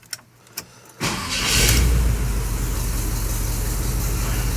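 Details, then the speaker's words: 1986 Chevy C10, new engine, distributor locked down, vacuum advance just hooked up: a few clicks, fires quickly, flares briefly, settles to smooth even idle; may need idle adjusted down. Normal start and idle. "Does fire up easy now. Well, it did before I hooked the vacuum advance up. We'll see what happens now."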